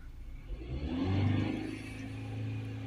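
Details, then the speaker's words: Ford Transit MK8 2.2 RWD diesel with P246C/P24A4 particulate filter restriction codes, DPF differential pressure 57 hPa at idle: revs climb briefly then flatten, capped at 3000 rpm in limp mode from the blocked DPF, before cleaning. "Now the revs are limited to 3000."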